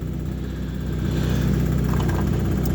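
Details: Lada Granta automatic transmission that hummed when cold, after pan and clogged filter removed and fresh warm oil added, engine at 70 degrees: smooth quiet hum, no gearbox whine; running normally.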